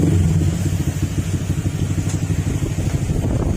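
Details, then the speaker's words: Honda Click 125 scooter after a top overhaul and CVT cleaning, with the ECU and TPS reset. The engine runs with a steady low pulse and no mechanical rattle; only the exhaust is loud, the engine itself quiet. "Tahimik na yung makina."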